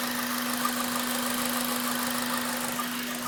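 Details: Honda Civic Type R, warm idle, rattle only after about 10 minutes warm, present for about 7k miles: fast light metallic rattle about three per second over a steady hum; caused by the timing chain tensioner, now fixed.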